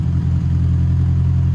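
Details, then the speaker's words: Classic Mini engine being prepped, started to test lights after tail light repair: steady low rumble with an even firing beat and no knocks or misses, running somewhat good; normal idle. "So I'm gonna go ahead and start the car and see if our blinkers and whatnot work. All right, now we're gonna all be doing this together to check the lights. So the car is running, as you can hear,"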